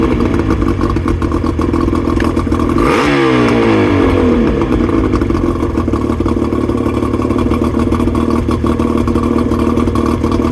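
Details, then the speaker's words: 2000 Johnson 50hp two-stroke outboard, just started using starter fluid sprayed into the carbs: steady buzzy idle with a brief rev dip, settling lower than it should; it needs a tune-up. "part two is going to be a tuneup as you guys could probably tell it needs a bit of a tuneup it's not idling quite as high as it should"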